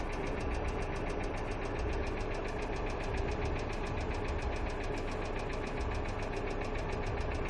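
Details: Hyundai Accent II petrol engine at steady idle with fast, even, light ticking of about five per second, a hydraulic lifter tick.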